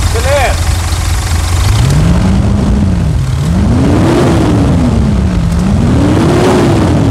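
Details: Mitsubishi Triton 3.2 diesel started and revved after decarbonization, fuel tank cleaning, air filter cleaning, and fresh Repsol oil and filters: fires up and runs steady, revs rising and falling smoothly with no knock or rattle; sounds healthy.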